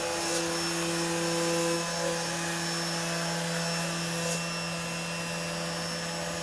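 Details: CNC router running Mach3 after a noise problem was solved with an opto-isolated breakout board: steady even hum with constant tone, no stutter or buzz; runs smoothly, normal running.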